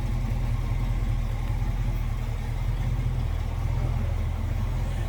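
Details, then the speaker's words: 1966 Ford Mustang Fastback with a 289 V8, idling and heard from the rear: a deep, even rumble with a steady beat and no knocks or misses. It sounds healthy. "I guess what you'd expect, 66 Mustang with a 289, nothing over the top. crazy loud exhaust, just a nice classic rumble."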